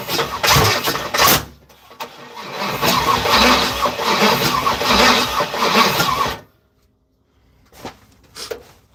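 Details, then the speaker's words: Third-gen (82–92) Camaro on starter fluid, other coil pack just plugged in: rough cranking bursts with loud pops, then silence and short sputters; backfires (fireball) but won't run. Owner suspects injectors not working. "That shit's crazy. The fireball that just came out of there was wild."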